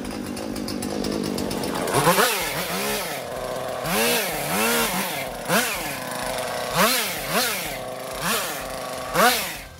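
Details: Husqvarna chainsaw after fix/tune-up with the chain re-tensioned, test cutting branches: revs climb and sag about once a second as the chain bites each branch, then pick up cleanly; saw pulls and cuts steadily.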